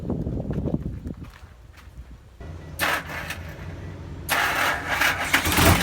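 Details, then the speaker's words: Diesel after a new turbo was installed, same brand as the original: steady low idle rumble, then revving brings a smooth, rushing airy turbo hiss, sounding the same as before; normal turbo whistle. "อืเทอร์โบดังแล้วครับหวานเจี๊ยบเสียงก็ไม่เปลี่ยนครับเหมือนเดิม"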